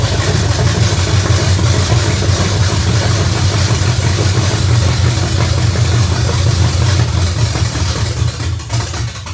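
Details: 1982 Chevy pickup, tank valve bypassed and line run direct to tank, carburetor primed: engine spins steadily at cranking speed, about three turns a second, never fires; no fuel reaching it.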